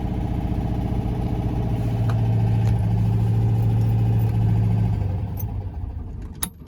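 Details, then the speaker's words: Citroen 2CV carbureted twin, warming up on manual choke after cold start: low, steady twin-cylinder burble with even beat and no misses, choke adjusted to hold a smooth idle until warm, then shut off; normal warm-up idle. "so you can just control that airflow with the choke until it's nicely warmed up and running how you want it to"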